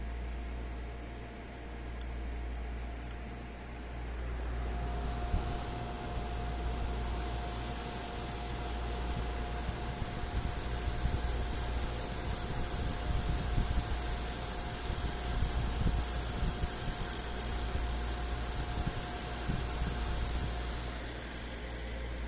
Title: ZOTAC RTX 4070 rattling noise when increasing fan speed! Please Help!